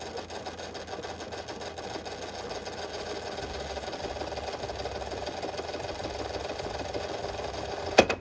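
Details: Restored VHS rewinder rewinding a cassette, with a shock-absorber-like lever that cuts off under load: even motor whir holds steady through the rewind, then a quick soft clack as it slows and stops cleanly; normal rewind.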